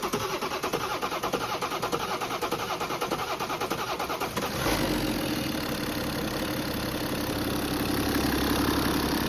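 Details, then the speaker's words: BMW 430d diesel first start after replacement crankshaft and new bearings to cure knocking: cranks about four seconds until fuel pressure builds, then fires into a smooth even idle. "And once it got that fuel pressure that it needed, it finally started and it sounds amazing."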